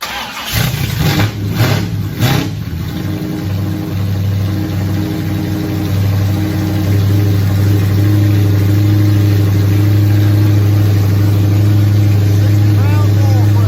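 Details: Nova race car V8, first fire-up in 38 years after priming fuel system, timing being set: cranks, catches after a few seconds with blips, then settles to a steady, even rumble; runs, but coolant leaks found at water neck housing.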